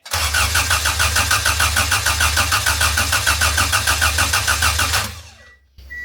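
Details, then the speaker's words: D-series-engined wagon, first crank after the ECU was repinned for multi-point fuel injection and the key cycled to build fuel pressure: starter churns steadily, about three pulses a second for five seconds, never catches; crank no start, spark to be checked next. "I'll probably have to check spark next."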